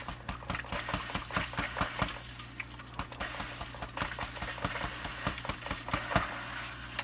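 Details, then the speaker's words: Eheim canister filter pump with air drawn in at a loose intake cap: steady mains hum with irregular rattling ticks, about two a second, as air clears through the impeller. Tightening the cap stopped the cavitation. "And so I need to check that out right now and see if this intake needs to be screwed on better, because I'm pretty sure that's where the air is coming in."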